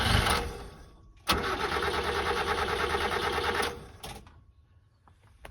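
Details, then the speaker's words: Subaru Sambar kei truck with carburettor, no start after winter: after fuel line check, key cycled; short buzzing run of fast, even ticking then tail-off, fuel pump priming normally to fill carb bowls. "turn it again sounds pretty happy to me"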